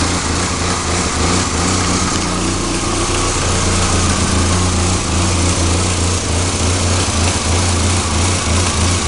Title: ka24de 1991 240sx rough idle